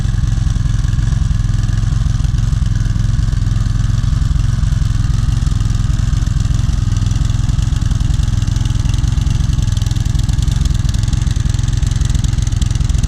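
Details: 2014 Toro Personal Pace Recycler 20333 with a 7.25 gross torque 190cc Briggs & Stratton engine, after cleaning a clogged bowl-nut carburetor jet that caused a no-start: loud steady single-cylinder thump, even and smooth; normal running.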